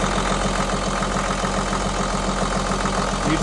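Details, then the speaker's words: Perkins marine diesel just restarted after lift pump replacement and fuel-system bleeding: uneven, slightly stumbling idle of about 214 pulses a minute, with a little sputter from air still in the fuel lines. "there's a little sputter running nice and smooth now you might get a little burp in here"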